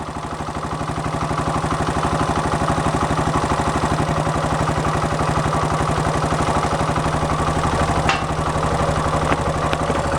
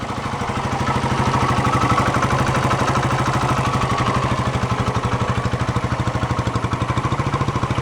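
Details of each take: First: 1972 Honda SL125 single at warm idle, muffler holed at the bottom: fast light tapping about four per second from valves set at four to five thou instead of the two specified; valve tick, valves need readjusting. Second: 1972 Honda SL125 single-cylinder at idle with the air box off, so carburetor intake noise is audible; stock exhaust, old carb suspected of a worn float. A steady, quiet putter of about three pulses per second with no knocks: normal idle.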